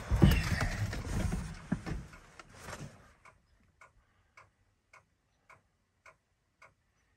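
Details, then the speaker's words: Ford F250 7.3 IDI diesel that won't cold start, engine off: sharp single clicks repeat about twice a second from the glow plug relay; owner suspects a bad relay and burnt-out glow plugs. "see he used to come on just for a little bit and then click so really and there must be some gold plugs out"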